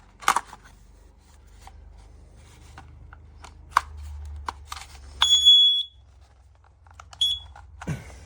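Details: Kidde/Dometic battery-powered carbon monoxide alarm, made June 2018, tested in a van with a tube from a car exhaust: short shrill beeps breaking through handling clicks and rustling, the CO alarm sounding.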